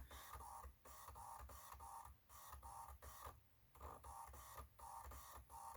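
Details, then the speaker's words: Titanium PowerBook G4 CD-ROM drive booting a Mac OS 9 installer disc: rapid, regular whirring pulses about twice a second with brief pauses as the disc spins and reads; the drive is working normally. "Listen to that CD-ROM work. Aha, yes, it's working."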